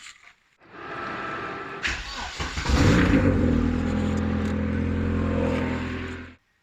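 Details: Vauxhall Nova SR with 2.0 C20LET Redtop turbo conversion, run up to temperature before an oil change: catches, revs briefly, settles to an even steady idle; earlier lifter rattle resolved by running, no top-end ticking.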